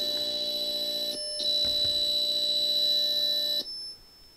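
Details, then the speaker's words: Atari XC12 cassette tape drive on Atari 65XE, after repair, saving data (CSAVE) with counter at zero; steady shrill warbling data tones with a short break, then tape stops: normal cassette data save tones. "so now we do play and record and press ENTER and I've got the counter at 0 so we care that it's making the noises and the tape is going"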